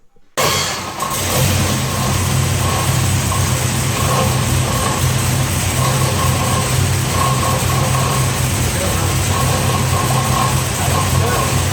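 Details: 1967 Corvette 502 big-block crate V8, fresh back from the engine builder after a rebuild for oil burning and an internal noise: steady, even rumble with no knocks or ticks; healthy.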